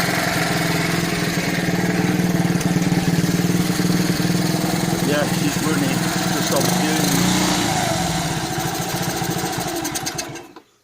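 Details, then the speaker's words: 1972 Honda ST70 Dax, running on fuel from a soaked sponge instead of the carburettor: small single chuffs at about four beats a second for ten seconds, then fades and cuts out. Runs briefly then stalls from fuel starvation; carburettor not feeding and needs sorting. "you go it's runner so obviously we've got to try and sort the cab out on it"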